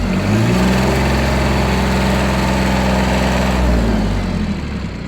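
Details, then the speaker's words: Yanmar Ke-3 four-wheel-drive mini tractor with a three-cylinder diesel: steady low clatter holding an even beat, with no extra knocks or rattles; normal idle. "Так давайте сейчас заведем его двигатель работает ровно без каких-либо посторонних шумов"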